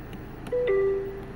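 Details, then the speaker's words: Peugeot 508 SW after repair of the electric parking brake, engine running, automatic parking disabled: short chime stepping down in pitch, the warning to press the brake pedal before releasing the electric parking brake. "так треба натиснути на педаль скидуємо ще раз і знову все запрацювало"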